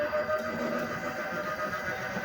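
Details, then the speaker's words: LG single-tub washing machine on spin only after retightening: drain motor normal, drum spins true with steady even mid-pitched hum, no wobble or thumping; repair successful, normal spin. "Nah, ini sudah berputar, bisa proses spin, tidak gelodak ya teman-teman."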